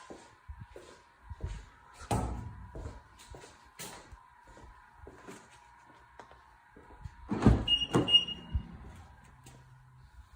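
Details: 2016 BMW 340i shut off after a 15-minute drive, heard from the engine bay: irregular clicks and a few heavier knocks over a faint steady hum.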